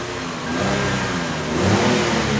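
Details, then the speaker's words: Free Lexus with a blown main fusible link, engine revved after throttle was restored and the stop lamp switch reconnected, with ECM and skid control codes present: engine pulls up smoothly and eases back without hesitation; good throttle response. "so we have throttle we have a functioning stop lamp switch and now we have more codes which is actually a good thing in this case"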